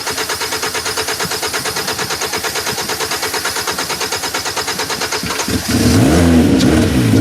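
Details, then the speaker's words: 2010 Hyundai Sonata 2.4, intermittent no start, no codes, spark and injector pulse present: even cranking about three turns per second, then fires and runs once fuel is sprayed into the intake; lacking fuel delivery. "We have spark, we have injection pulse, the car is not starting. So, we're either flooded, the engine's either flooded or we just we don't have fuel pressure."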